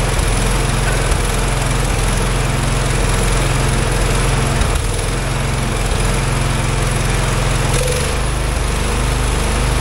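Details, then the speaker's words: Wheel Horse 416 garden tractor, single-cylinder engine, first start after sitting for years with carburetor not cleaned: steady, even thump at idle with no misses, knocks or hunting, no smoke or rich smell; normal idle. "holy crap this thing wents great how is that even possible this thing is idling fantastic no clean the carburetor no [Music] nothing no smoke to speak of doesn't even smell like a thrun real rich or anything unbelievable"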